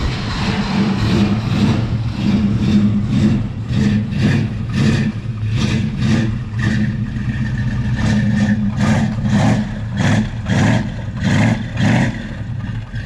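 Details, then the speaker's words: S-code Mustang, owner-restored, C6 automatic, Flowmaster exhaust: deep, lumpy V8 burble rising and falling with repeated throttle blips, smooth pickup, no knocks or rattles; sounds healthy. "Yeah, I've heard it and it sounds nice. Yeah, it don't sound too bad."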